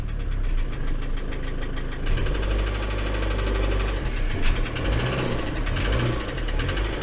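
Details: Ford Transit van, left unmoved about a month and still cold. It idles unevenly with a low lumpy beat, a light rattle on top and occasional sharper knocks. The owner fears it won't restart if it stalls before warming; the knock's source is unknown.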